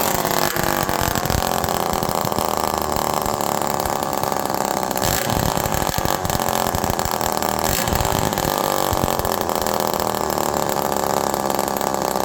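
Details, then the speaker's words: Homelite Super Mini reed-valve two-stroke chainsaw during low and high jet tuning, about 1.25 turns out, air-leaky at first and fuel pouring from the muffler: steady high scream, revs quickly but never returns to idle; cause not confirmed. "Listen to how it revs quickly but doesn't go back down to idle."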